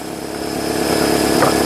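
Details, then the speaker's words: 2005 Nissan Altima 2.5L four-cylinder, freshly started after valve cover replacement and new plugs, coils and boots for oil-in-plug-tube misfires; even, steady idle with no stumble or skipped beats, running clean, no misfire. "I'm ready to be done with all things wrench related it runs it lives it doesn't backfire or not backfire but misfire"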